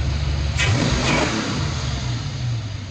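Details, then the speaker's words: Foxbody Mustang 302 V8 with B303 cam, T5, 3.73 gears, running after sitting since about 2021; lumpy but even idle with a quick rev blip falling back cleanly, no misses, knocks or hissing, owner says it sounds pretty good, normal. "sounds pretty good. good still."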